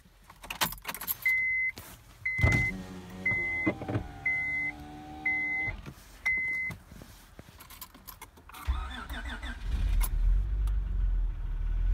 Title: 2004 Honda Accord EX V6 with Severe Engine Wear Piston Slap